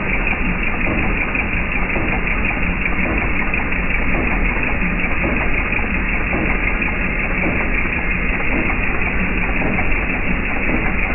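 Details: Jeep TJ Wrangler 4.0 I6 at idle: a dull, regular knock keeping time with engine speed under the running noise; knocking present, cause not yet pinned down.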